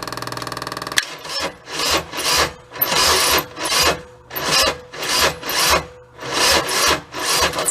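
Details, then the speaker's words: Kubota diesel Bobcat side-by-side parked for years, battery charged ~20 minutes, injector line cracked: slow cranking with rasping metallic grind about once per second; owner fears engine scoring, unconfirmed. "sounds like a little bit metal metal kind of sound do doesn't it that doesn't sound good hope we don't have any kind of a engine scoring issues"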